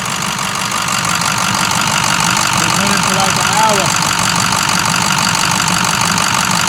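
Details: 2006 Ford 6.0 Powerstroke diesel, idling: steady idle with loud, even injector clatter about three times a second; runs smoothly, normal Powerstroke injector noise, nothing wrong.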